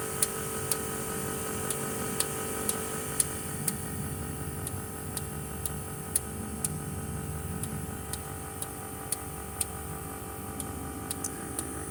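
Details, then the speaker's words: Caterpillar C7 ACERT diesel with power loss and strange noise, Caterpillar electronic tool solenoid test pulsing injectors one by one: sharp evenly spaced clicks about twice a second over a quiet idle; injector 5 later found faulty. "también vamos a pasar a la prueba con la herramienta electrónica Caterpillar esta prueba la hace para checar el selenoide del inyector más una prueba uno por uno para detectar cuál está incorrecta"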